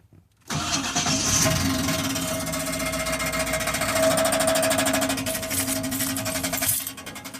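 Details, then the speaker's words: 1996 Chevy Impala SS (LT1): loud constant metallic rattle at about four per second after being opened up on the highway, seemingly from underneath; previously rattled only on acceleration and stopped when coasting; cause unknown. "Don't know what this sound is, but every time I get on the gas, start hearing this rattling noise. Tonight I got on it a little bit more, open it up a little bit. Now all of a sudden I'm getting this loud noise, and now it's not going away."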